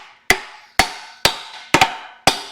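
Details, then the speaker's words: Ford 302 V8 engine, crank turned by hand: five sharp, hollow clunks about half a second apart; a rod bearing is suspected but unconfirmed, and dry lifters may also be binding it. "That sounds weird. That might be a main bearing gone on that. I mean a rod bearing."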